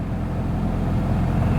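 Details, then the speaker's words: 2003 Pontiac Vibe GT, 2ZZ-GE, 250,000 miles, just after replacement 6-speed transmission, after drive: steady busy fast idle drone that won't settle; idle higher than usual, pulley bearing also suspected. "all right let's go get our code scanner and see what's going on what am I Idol is staying so high huh usually it idles a little under a"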